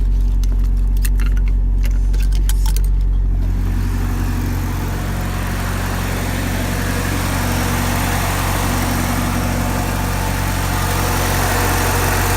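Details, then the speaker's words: Warm Porsche 944 before throttle body adjustment, idling at about 1,400–1,500 rpm versus stock 950–1,000: after brief key jingle, steady but fast idle, quicker than normal tickover; high idle. "So it's warmed up and it's at about 1,400 RPMs, 1,500, something like that."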